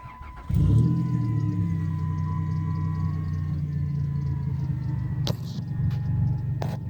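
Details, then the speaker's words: Van started for a couple of seconds to jump-start a 1986 Chevy Silverado with 350 small block: engine catches almost instantly and settles into a steady, even low hum with no knocks or misses; healthy start and idle. "So we're gonna start the van just for a couple of seconds. She's a monster."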